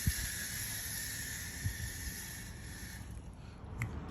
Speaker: That's the sound of those beads rolling around.